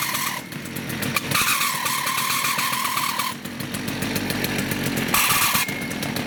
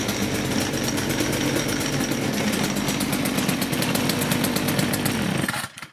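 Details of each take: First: STIHL FS56 two-stroke trimmer at idle: harsh, steady high-pitched screech cutting in and out from the clutch area, which drags so the trimmer head turns at idle when it should not; clutch squeal before repair. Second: STIHL FS56 trimmer after repair of loud squealing (clutch problem): steady even two-stroke buzz with no squeal and trimmer head not spinning at idle, then clean shutdown; running normally.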